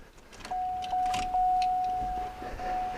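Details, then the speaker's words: Owner thinks it is a 1991 or 1992 Olds 98 with a no-start; key turned on to prime the fuel pump. A steady electric hum for a couple of seconds, stopping and restarting once; about 40 psi at the rail, so fuel pressure is adequate. "So we can see that at 40 psi, we've got plenty of fuel to the rail to actually try to start the car."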